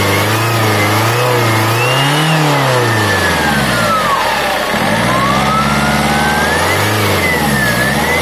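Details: Engine turbocharger: thin high whistle over the engine sweeping up and down with revs; turbo found out of balance, repaired with geometry repair and housing (snail) replacement.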